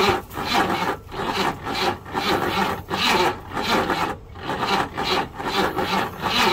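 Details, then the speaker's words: 1968 Buick Riviera parts-car engine, first start attempt after freeing the seized crankshaft: slow, heavy cranking at about two labored turns a second with the starter struggling and never firing; slow cranking, battery suspected. "We were able to get the crankshaft moving. The starter's not happy, so we're gonna try and keep it going."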